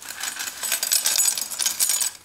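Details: Godox SK400 II studio strobe with sudden total failure, dropped and with a broken bulb, gives bright tinkly jangling for about two seconds when shaken as loose shards of broken glass rattle inside; loose broken glass inside unit.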